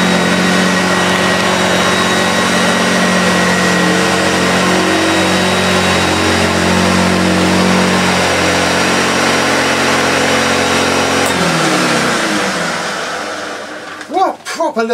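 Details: Early Hoover Junior 1436 Mk1 upright vacuum, plastic-hood first run, in very good condition: smooth, steady motor hum and whine at even pitch, then winding down when switched off; motor sounds healthy.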